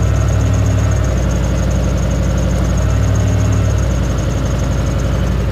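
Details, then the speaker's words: Turbo 1UZ V8 Lexus after the upgrade to twin 044 pumps, surge tank and external regulator: a smooth, even idle with a steady low rumble and no misses or knocks, and the 044 pump audible. It runs cleanly. "So that's it, we're running, it's beautiful."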